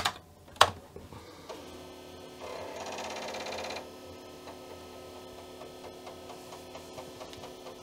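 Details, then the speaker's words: Commodore floppy drive under diagnostics cartridge test: quick run of head-stepping clicks and short buzzing during fast format, even and unhesitating, done in about five seconds; healthy drive. "yeah that sounds like a fast format that was really fast five seconds"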